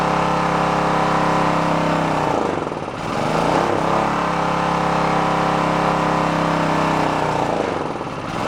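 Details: Onan K450 portable generator, yard-sale unit that sat a long time, warming after choke start while air-fuel mixture at the back is turned: steady drone, then speed sags and recovers twice.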